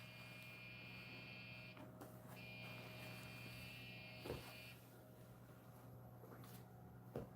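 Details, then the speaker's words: Dell XP desktop with Core 2 Duo and discrete video card: at power-on a loud fan runs and high-pitched beeps sound, a POST beep code counted as three and then two beeps; a memory issue is suspected. "Sounds like we've got beep codes going and I guess memory issues. Three beeps."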